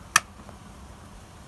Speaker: yep you can hear that clicking which means that it's activating the relay